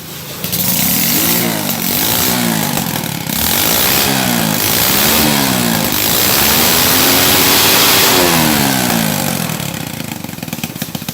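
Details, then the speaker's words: Motorbike restarted after washing, before spraying water to test a rain misfire complaint: small clean revs up and down, no stumbling or misfire; normal idle. "Bây giờ thì nó không bị. Rồi mình chưa thấy nó bị các bạn. Giờ hiện tại là trạng là nó chưa bị, bây giờ ra xịt nước cho kỹ vào xem nó bị không."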